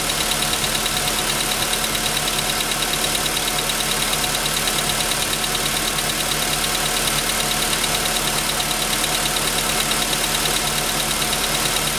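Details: VW Jetta V engine at idle, with a sharp regular tapping about three times a second following engine speed, heard from 15 seconds in; piston knock, later confirmed by the dealer, and pistons replaced under warranty.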